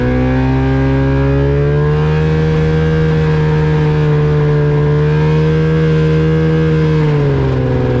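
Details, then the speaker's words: Avid Flyer aircraft with Rotax 670 on a taxi test at full throttle: loud steady drone with a rough, slightly uneven edge, pitch dipping near the end; engine sputtering and not running right. "guys hear that sputtering it is sputtering on giving it full power and it just wasn't wanting to run right"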